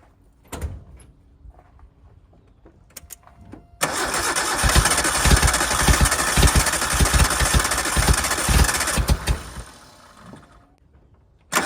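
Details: 1988 Suzuki Samurai parked since the late 1990s, running from a hanging temporary fuel tank: brief crank, then engine catches quickly and holds a lively, fairly steady run.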